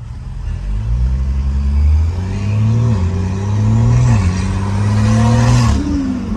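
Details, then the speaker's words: BMW B58 after fixing electric wastegate actuator issue (codes 123432, 123437, limp mode): on-road pulls, engine note climbs smoothly through gears, boost building audible, sharp blow-off hiss on lift; normal turbo boost and blow-off. "and I can hear my blowoff valve and I can hear the Boost building which I couldn't hear the Boost building before so that's awesome"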